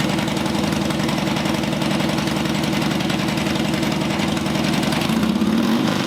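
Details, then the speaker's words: Harley-Davidson Dyna Street Bob V-twin fitted with new Horsepower Inc (HPI) 2-into-1 exhaust and new air cleaner: deep, loping uneven potato-beat idle holding steady with a slight blip; normal idle. "Can't beat an HPI 2-in-1. That's all I have to say."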